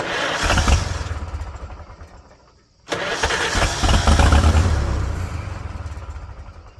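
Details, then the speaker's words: 1946 International Harvester Farmall H, first start after repairs: engine catches in rough bursts only while the starter turns, then dies when it stops; harness was wired to the wrong side of the starter, so ignition gets power only during cranking. "Definitely have this wired up wrong. Because it's only sparking when I turn the starter."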